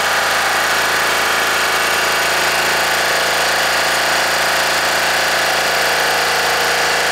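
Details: Deutz 3-cylinder diesel, previously hard-starting early mornings, idling after a gravity-fed fuel tank modification: steady even clatter with no stumbles or misses throughout; normal diesel idle.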